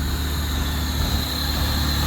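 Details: 1996-99 Honda Civic EK turbo at smooth, even idle after alternator replacement, with a faint constant whir over it; it doesn't shut off, so it is charging and idling normally.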